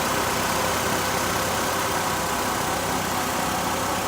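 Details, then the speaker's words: 2012 Nissan Altima after serpentine belt and splash guard replacement: smooth, even idle with no squeal or chirp from the belt area; the new belt runs quiet and aligned, a normal idle. "So before you just go taking off down the road, make sure you let it run a few minutes, make sure you don't hear it squealing, making any funny noises."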